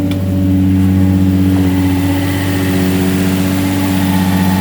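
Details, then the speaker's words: 2005 Infiniti G35 Coupe Rev Up, jump-started after sitting about a year, service engine light on: smooth, even idle with a steady low hum and no ticking or misses; runs cleanly. "sounds good for not driving for about a year let this thing cool down this all sounds good"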